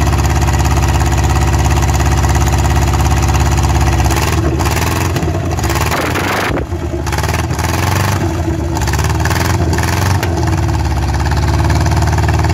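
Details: Rover P6 3500S V8, cold first start in 15 years on a temporary battery and fuel supply, points cleaned: deep, even rumble picking up cleanly with throttle blips and settling back; runs smoothly, no knocks.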